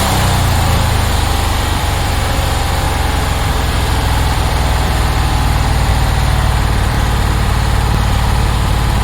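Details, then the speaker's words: 1966 Porsche 912 air-cooled engine, cold start around 60°F, burning oil, suspected dirty carbs: rough idle with loud rapid clacking over it; loose valve adjuster/pushrod rather than rod knock. "I don't know if you heard but there's this huge clacking after it ran"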